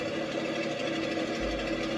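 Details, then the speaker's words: Carbureted Mustang: fast, steady, buzzy idle that never drops. High idle attributed to the choke, which is passing too much air. "Hey Hey Barry you might want to [ __ ] with your high idle [ __ ] that choke cuz right now the choke flowing air coming"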